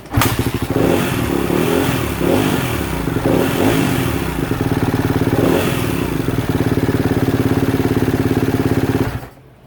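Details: 2016 Kawasaki KX250F that would not run, after fuel pump disconnect-reconnect test and repairing bad connections, stator suspected: crisp steady single-cylinder beat with throttle blips and clean settle to idle; engine runs healthy.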